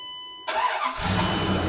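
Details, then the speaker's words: Dodge Dakota shop truck, fuel pressure not held in rail, regulator suspected failing: first crank attempts dead, then fires and settles into steady idle; hard start, runs fine once started. "All right. Now, normally this thing just barks right off. Now, nothing twice."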